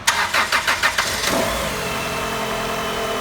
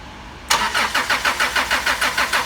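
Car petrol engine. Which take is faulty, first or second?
second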